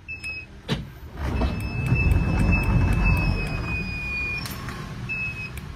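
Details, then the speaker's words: Hyundai Solati 2022 with aftermarket Cayman automatic sliding door drive (70 W, 37 kg pull) set to slow speed via remote: low steady motor hum as the door glides shut, then two latch clicks; working normally. "nhưng mà chạy chậm vẫn vào đủ hai nước khóa nhé"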